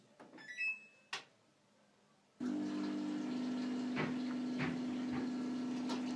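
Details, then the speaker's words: Samsung washing machine with a humming drain pump and 5E drain error, with an added auxiliary pump run from a power supply: after a few clicks the pump starts with a steady low hum and water flowing; working fine. "так вот наша помпа сейчас должна завестись отлично"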